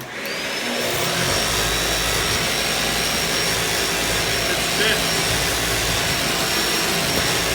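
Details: Shark Duo Clean vacuum after fixing a stuck brush roller (red brush-roll light) by clearing and reseating it: steady, even motor roar with a faint high whistle, smooth and constant after spin-up; running healthy.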